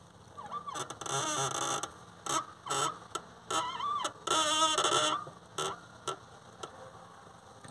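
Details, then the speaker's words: Honda car clutch pedal released slowly: irregular chirping squeaks rising in pitch in short bursts as pedal moves; dry clutch pedal linkage, fixed with lubricating spray or a few drops of oil. "इस तरह से आवाज़ दोस्तों आती है clutch pedal धीरे धीरे छोड़ने पर, तो आप उसको किस तरह से दूर कर सकते हैं आज की वीडियो हम यही बताने वाले हैं।"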